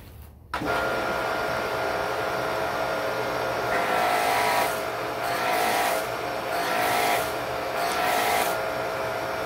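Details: Electric Karcher pressure washer with a Twinkle Star foam cannon, surging in a slow on-off rhythm with inconsistent pressure. The cannon's orifice is too small for the washer, and it was fixed by drilling the nozzle hole larger.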